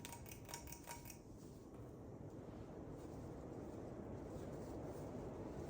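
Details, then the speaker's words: 2000 Hunter Original 52-inch ceiling fan, USA-made, on high: soft steady airy whoosh and low even hum, no clicking or wobble noise; slight movement blamed on how it's hung; running normally. "it moves around just a little bit but the only reason it moves around is because of the way it's hanging and the way I have it set up"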